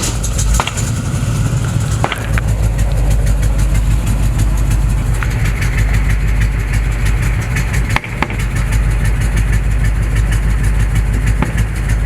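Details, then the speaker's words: 1970 Chevrolet C20 truck at idle: low, loping, uneven beat sagging to about 500 rpm and nearly stalling; rough low idle close to stall, raising rpm only goes so far. "all it was about stall there what is it it was dropping down to about 500 it's just up up it's steady just about 500"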